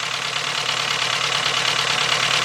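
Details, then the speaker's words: 2.0 Volkswagen with a misfire, engine running: fast, crisp, evenly spaced clicking heard through a two-foot extension held on the fuel injector body; the injector is firing normally. "oh yeah I hear it I hear it that injector's working"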